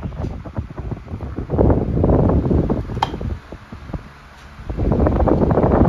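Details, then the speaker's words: SMC TR-12 12-inch desk fan (2001–02), new old stock bought unopened, oscillating: soft even whoosh swelling and fading as the head swings, no rattle or ticking; quiet and running normally. "this is the kind of fan that I would take to work or put somewhere where I just wanted a Dependable fan that's quiet and powerful you know when you need it to be"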